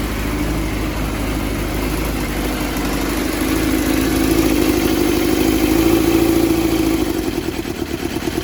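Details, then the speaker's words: Yamaha FZR400 project bike, first run after years sitting, fuel from auxiliary tank: lumpy beat about three per second with droning tone rising and sagging; runs only on choke, won't run off it; coolant still to be topped up. "Okay, so status report Kalowski. It runs. It doesn't run off the choke."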